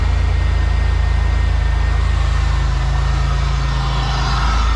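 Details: GM 3800 V6 (Buick/Pontiac/Chevy/Oldsmobile) idling after alternator replacement for a battery light, charging at 14 volts: deep, smooth idle with a steady low throb of about three pulses a second, no squeal or whine; normal idle.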